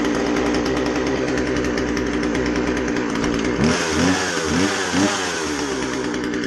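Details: Husqvarna 136 chainsaw after carb rebuild (it wouldn't start or run well; rotten fuel line let dirt in), high-speed jet set slightly rich: high steady buzz with crisp throttle blips rising and falling cleanly; normal running.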